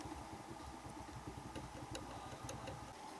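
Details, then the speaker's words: Tula scooter fitted with a pit bike engine that smokes and knocks, idling: dull uneven knock underneath, suspected worn crankshaft bearing. "И прослушивается звук. Стук. Похоже на то, что коленвал, не коленвал, подшипник"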